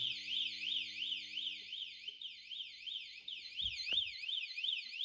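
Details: Kawasaki ZX12R motorcycle, 2,366 miles, long-stored with dead battery, power connected straight to battery leads: warbling electronic alarm siren sweeping up and down about three times a second as soon as power arrives; alarm system has power.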